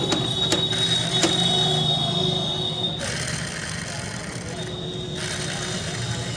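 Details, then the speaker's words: Mahindra Scorpio mHawk diesel, after full engine overhaul, engine running: a steady high whine with a fainter lower tone over the diesel hum from the belt tensioner pulley. Worn tensioner pulley bearing, to be replaced. "तो यह इसकी police जो है पुली के अंदर जो bearing होता है बेरिंग खराब हो गया है"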